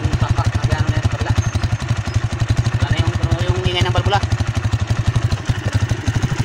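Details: Single-cylinder TMX 155 motorcycle engine after tune-up and valve clearance adjustment: crisp, regular thump about four beats a second with no ticking on top; even, healthy idle, slight tapping gone.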